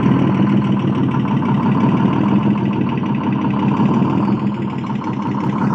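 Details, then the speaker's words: Detroit diesel engine running with a light blip of revs: deep, even drone, steady beat, no knocks or misses; normal healthy running. "Listen to that sound. I love Detroit diesels. Go ahead and run it in just a hair."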